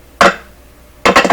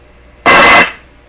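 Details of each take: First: Clairtone console stereo receiver with one dead channel, signal tracing across transistor terminals: sharp isolated pops and click clusters as the probe touches each point, from DC voltages charging the tracer probe. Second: Clairtone console stereo receiver with one dead channel, signal tracing through the amplifier: a sudden loud hissy, buzzy burst from the tracer probe for about a third of a second shows audio signal present in the middle of the amplifier channel.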